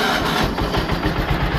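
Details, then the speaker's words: Simplicity 7112H garden tractor with Briggs engine, warmed up after driving, carb just adjusted: steady even low thump at fast idle, no smoke, rattles or misses, good throttle response; running normally. "this thing is running absolutely perfect there's no smoke no noises no rattling very good throttle response"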